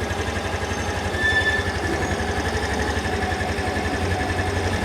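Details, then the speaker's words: Used 2020 Yamaha Grand Filano Hybrid ABS scooter, 10,000 km, one owner, original condition: quiet, light, quick, even single-cylinder idle holding steady without stumbles or knocks, no white smoke; normal idle. "เสียงเครื่องเงียบนะครับเดินเบาก็คือนิ่งเลยรถไม่มีควันขาวนะครับ"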